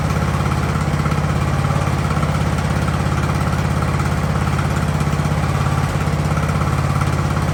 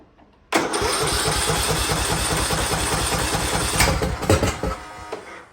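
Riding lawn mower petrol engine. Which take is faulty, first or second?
second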